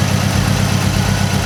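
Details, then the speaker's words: 2006 Mazdaspeed 6: lumpy, uneven idle with a steady stumble; unplugging cylinder one's coil pack changes nothing, so that cylinder is dead and the engine misfires running on three cylinders. "I did not think it was going to run that good on 3 cylinders. Alright guys, so I don't know if you just saw, but we started the car and I unplugged this coil pack right here. And the car continued to misfire and run like crap."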